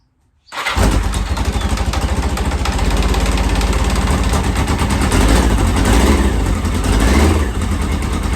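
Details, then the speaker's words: 1983 Yamaha XJ900 Seca in restoration, right after carb balancing and plugs reinstalled: fires straight away into a fast, busy idle, too high, likely because the idle was cranked up while it ran on only three cylinders. "When I fire it up now, it's probably gonna idle way too high because I cranked it up. I cranked it up, not realizing it was only on 3 cylinders."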